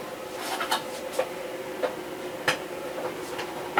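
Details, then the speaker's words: Cutter cutting a big sheet: quiet hum broken by sharp irregular ticks and clacks as the feed pulls on the roll, meaning the material slipped, likely ruining the cut. "when it makes that noise that means that it's pulling on that roll and it slipped so that'll probably screw up the cut"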